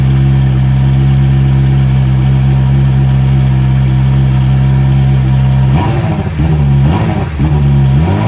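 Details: Fuel-injected Suzuki GSXR 600, stolen and recovered, hot-wired to run with no exhaust muffler and a heat-operated exhaust valve, barely run yet. A loud open-pipe roar, then blips that rise slowly and sag back. Throttle response isn't quite there.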